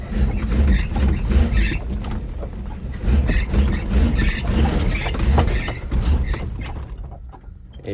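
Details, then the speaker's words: 1980 Mercury Zephyr after carburetor rebuild, in gear with heavy throttle: engine revs unevenly then dies; stalls under load, suspected ignition timing not yet checked. "Let me try it in gear. Last time in gear, it was stalling out when you gave it a lot of gas."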